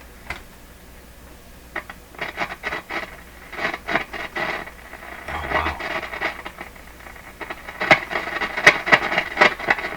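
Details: Nordmende Norma Luxus tube radio on AM broadcast band, volume full; irregular crackles and dropouts break up the station unevenly: intermittent crackle from bad tube socket contact.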